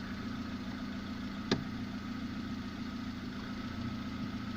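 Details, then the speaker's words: Lada after gearbox repair replacing input shaft bearings (6801), clutch pressed: even low idle with one brief click, sound unchanged, no rattle or knock; the gearbox runs quiet, normal. "выжимаю сцепление звук не меняется стука нет коробка не стучит"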